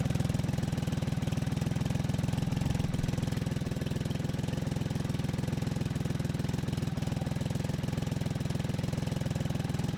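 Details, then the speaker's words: BMW K75 RT at minimum idle setting, still cold and warming up, after spark plug change, fuel injector replacement and air filter cleaning: steady, even, unhurried low idle thumping. Normal cold idle. "here we go the minimum setting so I'll just let it warm up a bit more"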